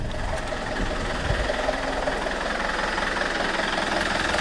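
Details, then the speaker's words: Alfa Romeo 159 1.9 JTDM diesel just after fitting new exchange turbo, first start with intake pipe not yet connected: even diesel clatter at steady idle, faint turbo whistle, no misses or hunting; normal healthy idle. "I'm quite happy with that nope that sounds pretty healthy"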